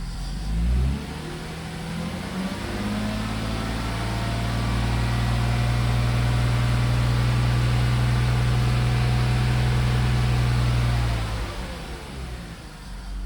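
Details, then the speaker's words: BMW engine after the owner's homemade injector cleaning: held above 3,000 rpm, a light buzzing rattle rides over the engine note and eases as revs drop; the owner says it resembles valve-to-piston contact but is less harsh, with the source unconfirmed. "but what surprised me a little bit was when I raised the revs there to over 3k, then it makes that weird buzzing or rattling or something there. It sounds a bit like as if the valves were hitting the pistons,"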